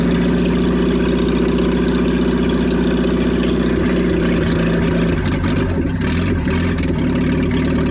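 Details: 1987 Toyota Hiace van, first start after head gasket replacement, exhaust removed: loud, deep, throbbing unmuffled idle with a raw, booming burble; engine runs well, exhaust needs refitting.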